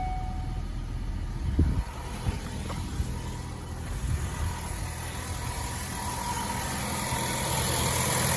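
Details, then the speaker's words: 2012 Ford Focus S 2.0L GDI, MTX75 manual, 60,000 miles, just after new spark plugs, oil and belt: steady, even low idle with no stumble or skipped beats; running good, no misfire. "Running good, no misfire, belt's brand new, oil's brand new."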